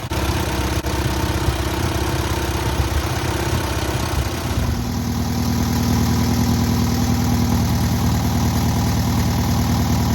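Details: Newly rebuilt air-cooled VW 1600cc flat-four on its first start and break-in: even, steady idle for four seconds, then a smooth rise to a faster, fuller run with no knocks; healthy running.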